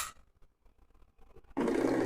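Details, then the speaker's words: RO water purifier that wouldn't start despite SMPS power; test SMPS wires joined directly to booster pump, button switched on: silence, then pump kicks in with steady, even buzzing hum at constant pitch, running normally (piping not yet connected). "और ये water purifier चलने लगा। देखिएगा आपका water प्यूरीायर चलने लगा है।"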